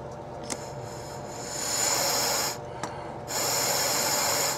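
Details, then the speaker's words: 1992 Marlin 24 ft boat with OMC King Cobra 454, fuel selector solenoid valve bench-tested with voltage applied. Sharp metallic clicks about two seconds apart over air blown through the hose; the plunger closes one port and opens the other, working normally. "now I'm going to apply voltage and then we're we're you're going to hear the plunger inside activate it's going to close this port open up this"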